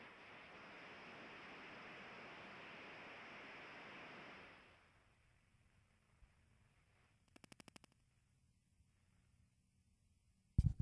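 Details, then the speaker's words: Ultrasonic leak detector (AccuTrak VPE-GN Pro) on an AC coil: loud steady rushing hiss about four seconds, cutting off as the probe moves away; large refrigerant coil leak. "what it sounds like with the headphones on it's such such a big leak that it uh it just distorts sound all around it"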